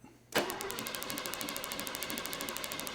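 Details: Mercedes 300 with 4.5 V8 gasoline engine that ran okay days earlier, cranking during spark test: starter spins evenly at about ten pulses a second but engine never fires; spark tester lamp flashes, spark present.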